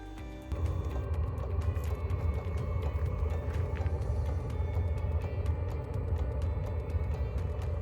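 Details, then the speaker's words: Portable Vevor 8kW diesel heater in a micro-camper van, run from a power bank: the glow plug is warm and the diesel pump has begun pumping, and a low rumble starts suddenly then holds steady as it enters the heating phase. Normal startup. "so as you can hear it's just started to to uh go into its heating phase the glow plug is warm enough now and the diesel pump has started to pump and now it starts to heat up"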